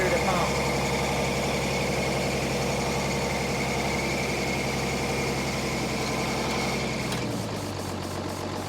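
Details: Military deuce-and-a-half diesel truck, chilly morning: runs rough and uneven for several seconds on ether/starting fluid, then sags and fades out; fuel starvation, water found in fuel.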